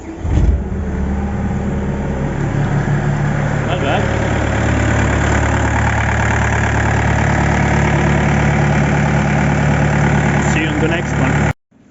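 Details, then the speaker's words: Yanmar engine with 14,000 hours, after repaired fuel pump, new injectors, repaired head with leaking head gasket and new thermostat, being run to watch for leaks: catches quickly and settles into a steady, even idle with no knocks; starts well. "so i will start the engine now maybe you will be able to hear it run and it starts pretty good for a 14 000 hours machine"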